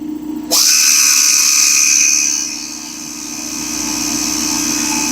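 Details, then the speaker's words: Old revived air compressor: a rush of released air, then a steady, even mid-pitched drone as the pump runs continuously and holds pressure under use. Normal running under load. "It actually maintains it. It's not dropping. So that pump, it was running continuously, but the pump's keeping up with it."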